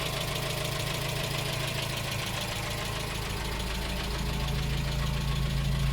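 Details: 1987 Dacia 1310 (Romanian Renault 12) at steady idle: light repeating knock over the engine hum, persisting even after a bearing change, with no improvement; radiator (copper), ignition coil and fuel pump recently replaced; knock source unknown, owner seeking ideas.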